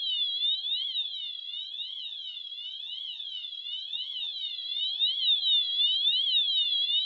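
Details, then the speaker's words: Notifier NFS-320C releasing panel after manual release station activation and pre-discharge delay: a continuous high sweeping siren rising and falling about twice a second; panel in discharge mode. "When this is activated, there's a short delay on pre-discharge before the system enters discharge mode."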